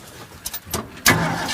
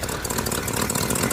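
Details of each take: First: Ford F-250 V8 with no exhaust leaks fires up quickly and settles into a steady, even rumble; idle a little high, choke possibly on; normal start-up and idle. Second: 1965 Ford F-250 4x4 V8 at idle. A hose held to the ear pins down an exhaust leak, a quick puffing tick over the exhaust note, at the manifold flange. Gaskets get replaced, and the removed manifolds turn out riddled with cracks.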